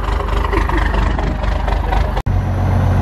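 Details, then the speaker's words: Cold diesel truck, started hard in chilly temperatures without block heater plugged in, 15W-40 oil, leaking fuel filter housing O-ring: slightly raised idle with uneven, lumpy rough rumble while warming; owner suspects engine needs rebuild or replacement. "well so I got it idled up a little bit she's sounding a little better now just kidding sounds like [ __ ] and this is sound good at all actually"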